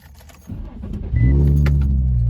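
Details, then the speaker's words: Wrecked Infiniti G35 (300 hp) with straight-pipe aftermarket exhaust and a smashed cold air intake: short crank, then it fires cleanly and holds a deep, steady exhaust rumble; starts nice and sounds good. "um but it starts nice it sounds good it's fast it's 300"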